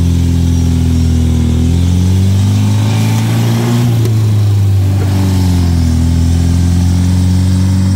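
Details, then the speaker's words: 1972 MGB, SU HIF44 carbs after mixture screw adjustment, air filters off: engine pulls cleanly and evenly through revs then settles, no stumble or hesitation; former off-idle roughness fixed. "it's purring it is purring like a kitten wow listen to that"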